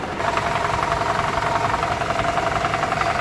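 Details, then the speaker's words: 2012 Toyota Camry 2.5 2AR-FE idling in drive with brake applied and AC on: busy metallic rattle pulsing about four times a second, worse at low RPM under load and varying with engine temperature; stethoscope points to the balance shaft. "so I took my stethoscope and it's very pronounced in this area so we're dealing with the balance sha"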